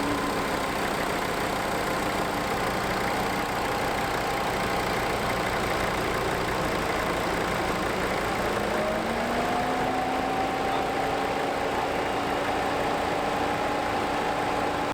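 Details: Mercedes W209 CLK 2.7 diesel idling just after a rocker cover, cam sensor, PCV and leak-off pipe repair: steady, even low rumble with a faint whine rising slightly partway through. Runs smoothly, no knocking.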